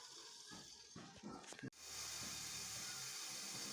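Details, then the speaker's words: Electric kettle after repair, filled with water and plugged in: short clatter, then a steady soft hiss with a faint low rumble as it heats to a boil with steam; kettle now working normally. "Ayan mga bossing, kumukulo talaga siya. So okay na, ayos na to."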